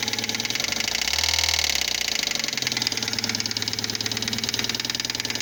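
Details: Fiat Palio Fire 1.0 8v 2005 after oil, timing belt, tensioner and spark plug change: sharp metallic knock ticking in time with idle, like rod knock; a spark plug electrode fell into the cylinder head.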